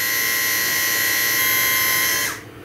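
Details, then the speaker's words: 2005 BMW R1200GS, ABS brake bleed without a scan tool: front brake squeezed to run the ABS pump with the bleeder open; steady high-pitched electric buzz for about two seconds then cuts off, normal ABS pump operation. "squeeze the front brake activating the pump track this open let some fluid flow through"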